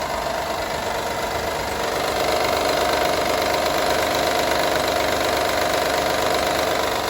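Steady idle with a light metallic rattle riding on top, about two taps a second, rough but continuous; a rattle at idle, source unclear.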